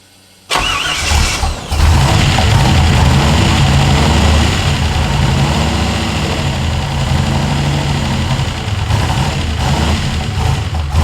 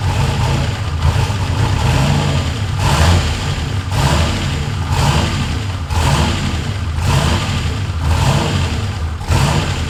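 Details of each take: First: Ford F100 truck with turbo LS1 V8 swap, restarted at first start after initially idling well: cranks, catches, then an uneven, lumpy, wavering idle. It runs rough; the owner suspects a vacuum leak or tuning, unconfirmed. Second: Ford F100 with swapped turbo LS1 V8 (Holley), after the throttle butterfly stop screw adjustment meant to raise idle off the idle air control motor: deep, slightly lumpy idle with a gentle surge about once a second, steady overall; normal idle.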